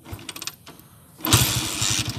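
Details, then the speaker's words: Honda TMX155 single-cylinder with points ignition, after repair for a fine ticking: it fires up and settles into an even, steady idle, and the ticking is gone. "So kanina may pinong-pinong malagitik. Ngayon wala na. Yan. Okay na."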